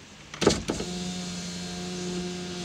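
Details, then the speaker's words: Impala power window after removing two overlong speaker-panel screws that contacted the glass; smooth, steady motor hum for about two seconds with no knocks or scraping; window travels all the way down freely. "boom all the way down without hitting anything yeah so it's those two screws that he put in the speaker"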